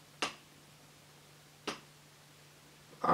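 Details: Known-new crankshaft tapped at the connecting rod: two short, dull, deep taps with no ringing, unlike the brighter metallic ring of a worn used crank; needle bearing sits tight, crankshaft healthy.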